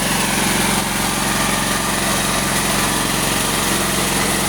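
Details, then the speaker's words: Honda SF 7000 DXE 220V generator after carburettor service, choke half closed at low RPM to stop surging: steady, smooth low idle, voltage stable; owner notes this setting suits only light loads. "Langsap, suaranya halus, RPM rendah,"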